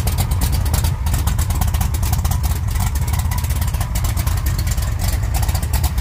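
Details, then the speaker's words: 1956 Chevy Tri Five V8 with new mufflers, run on a makeshift setup with the water pump belt off and a temporary cooling fan, idling with quick throttle blips: smooth, even burble with no ticking or knocking, normal idle and revving. "all right let's let him hear what it sounds like with the new mufflers"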